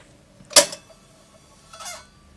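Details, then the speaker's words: Goldring Lenco GL78 turntable (made 1973) after cleaning the idler, rubber drive wheel and deck: short squeak with soft rub as the heavy platter is braked to a stop; the previously faulty brake now works. "switch it off. Yeah, the brake works now. You can hear it squeak and it stops it."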